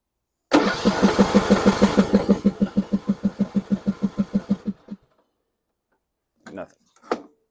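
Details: John Deere E100 riding mower (35 hours) that stopped while driving and puffed smoke: steady starter cranking about three pulses per second for four seconds, engine never catches, then silence; cranks but no start, gas and oil present.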